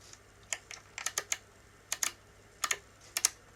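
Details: Nikon Zf, second-hand with only 490 actuations, painted brass top dials, Tamron 28-75 lens fitted, quiet room: crisp sharp clicks in quick groups of two or three; firm, healthy dial detents.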